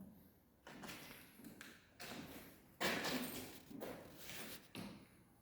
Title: halllow tiles popping up in your house, this is what it looks and sounds like 👍